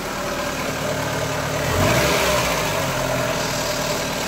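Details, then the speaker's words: Ford Fiesta 1.3 OHV engine at idle: light quick tapping keeping time with the engine, from excessive inlet valve clearance (big gap at the rocker); fixed by adjusting valve clearances with feeler gauge. "so that's inlet valve is actually pretty which is Claus the big gap there so this is all you can hear when the engines running"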